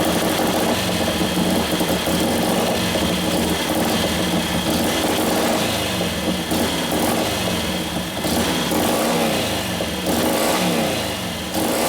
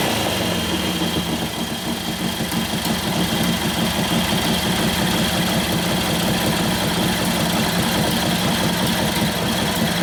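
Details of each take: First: 1941 Harley WLD 45 56ci stroker flathead, fresh build with performance cams: a loping idle with uneven blips that hesitate before picking up. Very sensitive to fuel mixture; the main jet is running lean and was turned out to richen it. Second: 1941 Harley-Davidson WLD 45 flathead V-twin, 56ci stroker build, warm, in second gear against the held brake: loping but even beat pulls steadily, revs right through without popping or stumbling; healthy, sounds like it has a cam.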